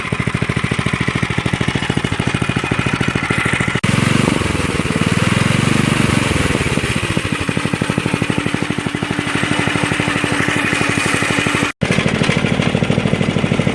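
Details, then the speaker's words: 1983 Stinger go-kart small single-cylinder engine running during restoration: loud uneven metallic rattle on top from a loose steering wheel, not the engine; the engine itself sounds good. "okay it was a steering wheel okay it's the steering wheel making all that [Music] noise see the engine sounds good though"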